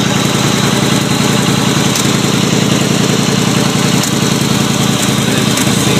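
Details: 1989 Chevy Caprice after the thermostat was replaced and the exhaust leak fixed: a steady, even idle with a constant low rumble and no ticking, puffing or exhaust chuff. The engine sounds healthy and sealed.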